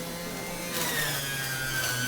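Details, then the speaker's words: Omega juicer motor pushed with leafy greens: the hum drops in pitch and grinding rises as the motor bogs down under heavy load. "You can really hear the motor kind of bogging down when I'm pushing it in because it's really hard for the machine."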